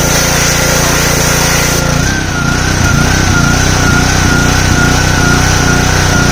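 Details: Simpson 3000 PSI pressure washer, Honda GCV engine, long stored outdoors: single-cylinder runs with uneven beat swelling and sagging every half second, hunting; owner suspects clogged carburetor needing overhaul.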